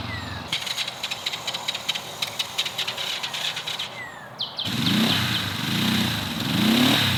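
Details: 1970 Honda CB450 twin, barn find parked 20 years, first ride after revival: cranking, then a catch; revs swell and sag unevenly instead of climbing; bogging, cause unknown, owner to check whether fuel is dumping into the engine.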